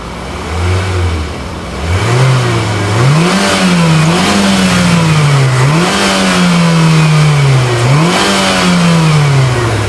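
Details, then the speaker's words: 2022 Mitsubishi Xpander Sport CVT, engine with hood insulation, engine thought to sound a bit unhealthy: floored free rev climbs then hangs at ceiling, repeatedly dipping and climbing back; normal rev limiter stopping further revs. "Ya ada limiter-nya, tadi udah gua mentokin, kayaknya dia enggak bisa nambah lagi untuk gas mesinnya."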